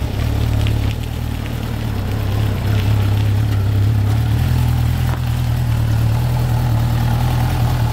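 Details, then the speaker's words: Abandoned Suzuki GSX 600F four-cylinder being revived, running unevenly with a lumpy beat and hunting revs; owner suspects carburetion or valve clearance problems, unconfirmed. "On entend mieux le comportement dont je parlais il y a quelques minutes, je crois."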